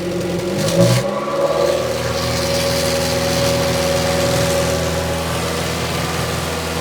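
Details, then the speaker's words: 2006 Toyota Matrix 4WD revved hard, sound coming from the rear; exhaust ahead of the muffler replaced within two years. Droning, choked exhaust note; owner suspects the muffler is disintegrating inside and blocked. A small leak is seen at the muffler-to-front-pipe joint. "I'm wondering if something has started to disintegrate inside the muffler because it almost sounds like there's a blockage."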